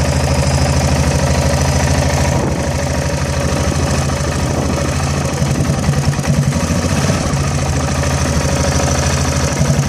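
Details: Yamaha XT660 single-cylinder motorcycle idling with an uneven, stumbling beat as firing strokes drop out; misfire traced to a faulty manifold absolute pressure (MAP) sensor, and turning the throttle position sensor moved the misfire about 300 rpm.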